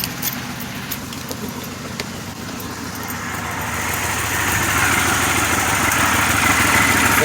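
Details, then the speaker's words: 2006 Pontiac Grand Prix after cradle-drop supercharged drivetrain swap, first start after plug wires and coils reconnected: idle runs better but uneven, stumbling pulse with the whole hood shaking; suspected misfire, cause unclear. "sounds like it has a misfire though. Hard to tell, but the whole hood's shaking. Yeah, you can still hear it."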